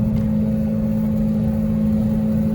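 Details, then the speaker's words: Audi 90 Quattro with straight-pipe exhaust and a badly rattling CV axle/wheel hub on a 7-hour highway trip: loud, steady low drone at cruise, open exhaust booming, no distinct rattle standing out; exhaust drone, cause not confirmed. "I think choosing the day I had a really bad migraine to do the 7h hour ride round trip with the car with straight pipe exhaust and the worst CV axle wheel hub rattling I've ever heard"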